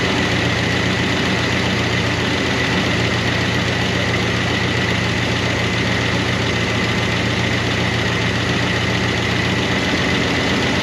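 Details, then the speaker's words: 1988 Chevrolet Monte Carlo SS V8, sitting since the 1990s: loud, busy idle with quick, uneven ticking from the top end as the lifters and rocker arms clatter. It quieted slightly but never got quiet. "but those rocker arms never did get quiet. It's started to get quiet,"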